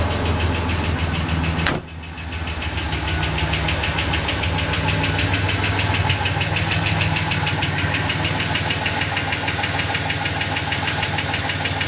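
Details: Ford EF Falcon XR6 at idle: sharp regular tick-flap about three times a second, sounding mechanical, from around flywheel/gearbox/extractors-cat area under the car; first thought an exhaust leak, worsening, faster with road speed, source unknown.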